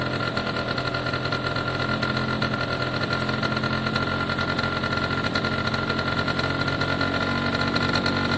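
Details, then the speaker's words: Italjet Formula 50cc two-stroke scooter, restarted after cleaning the old, wet original Bosch spark plug: a fast, buzzy, even idle on choke with no misses. No fuel leaks from the new tap. "Okay, that's great news at this stage. I can't see any fuel leaks, no sign of one. Started up okay there once I clean the spark plug."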